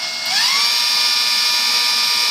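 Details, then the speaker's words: E-flite UMX P-51D BL brushless motor after a 3S battery power mod, bench throttle test, very loud; whine climbs quickly in pitch then holds a steady, piercing high tone under power with no stutter, a normal strong run-up. "just need to make sure nothing's going to get blown away cuz it does make quite the racket okay guys here goes nothing"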